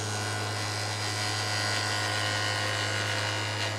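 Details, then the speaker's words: Wood lathe turning a raised winged bowl: the cutting tool chatters against the spinning wood with a buzzy rattle over the steady hum, from a wide cut; the tool should float. "You hear the chatter on that. I'm picking up the dust on the tool."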